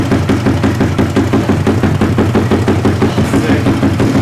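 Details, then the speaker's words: Koso 170cc big bore kit engine (Competition Werkes GP full exhaust, aRacer RCmini ECU) idling after the final top-up, warming to temperature before aRacer tuning: steady, even putter with a crisp regular exhaust beat and no knocks; runs smooth and healthy. "all right guys we're gonna top it off for the last time I think with the mole tool and we're gonna crank it up and let it come up to temperature"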